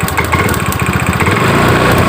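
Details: Scoopy-i scooter idling with an uneven, lumpy beat, stumbling badly and reluctant to accelerate; crackling electrical spark sound suspected at start.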